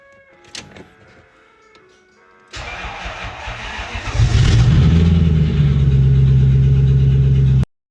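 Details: 1990 Lexus LS400 (body swapped onto a 1953 Chevy) after no-crank fix: new starter, yellow fusible link, 7.5A ST fuse, cleaned corroded fuse slot, reset circuit breaker; cranks, catches cleanly and settles into smooth, even idle; normal start.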